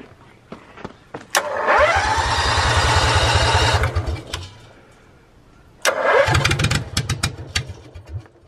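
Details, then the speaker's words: Propane-fueled generator in a school bus motorhome conversion with muffler visibly disconnected; cranks, catches and runs with loud, raw, popping Harley-like bark, restarts the same way: loud exhaust, muffler disconnected. "okay we're getting ready to fire up Mah Harley again that's what it sounds like without the muffler connected you can see that the muffler is not connected there all right you ready"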